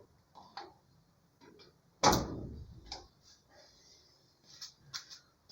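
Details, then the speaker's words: Arduino garden irrigation controller with a relay module isolated on its own power supply: a quiet room, then a sharp relay click and a faint hiss as the solenoid valve opens the line; switching works normally. "No i widać, że linia ruszyła. To jest chyba HS. Tak, słychać nawet jeszcze, że syczy. Wszystko działa i tym razem już moduł przekaźników jest zupełnie odizolowany od mikrokontrolera, także jedzie sobie na swoim zasilaniu."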